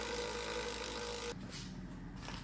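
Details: Triumph TR6, about 50 years old, frame trailing arm support: needle scaler's steady buzzing rattle turns suddenly duller and softer partway through where the steel is rotten and thin, revealing rusted-through frame metal that looked solid.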